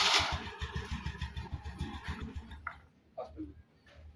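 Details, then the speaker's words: Scooty Pep self-start noise reported overnight, won't start: short rough uneven chattering grind at a few beats a second then cutting out; internal part of the starter motor believed worn. "இது என்ன ப்ராப்ளம்னா self மோட்டரோட உள்ள இருக்கற இது போயிட்டு இருக்கும். அதனாலதான் இந்த மாதிரி சவுண்ட் வரும்."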